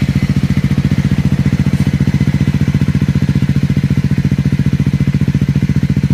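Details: Triumph Scrambler 400X single on a cold start: fast, even thumping at idle with a light mechanical clatter on top; abnormal noise, cause unknown.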